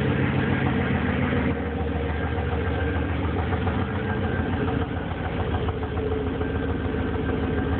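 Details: Petrol engine at idle with a steady knock of three to four a second, heard four months after an oil change with the oil found low; the owner thinks it comes from the heads, the mechanic says rod knock; lifters also suspected; unconfirmed.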